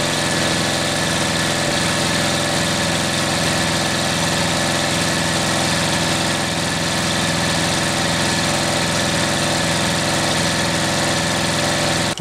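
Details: 1938 Caterpillar D13000 diesel, pony motor's first start in years: small gas pony motor runs smooth, rolling the main engine over steadily with good oil pressure, but it never fires; fuel arrives but the injection pump builds no pressure, cause unknown.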